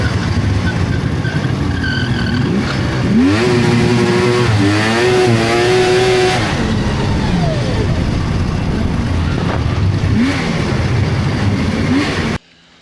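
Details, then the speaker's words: 1999 Polaris XCR700 snowmobile engine running off a track stand, with a high, wavering squeal over it from the drive belt riding too high; deflection is too tight, fixable with the adjustable clutch. "All right, that belt squeal. Let me show you what's going on. So, I didn't put this thing up on a track stand and run it and I probably should have. The belt is way too high. The deflection's too tight."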